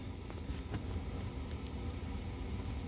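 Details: Prevost Vantare bus air conditioner fan switched from slow to fast, running on 120 VAC inverter bypass: even, steady low whoosh and rumble with no knocks, rattles or squeals; fan runs smoothly, drawing little current.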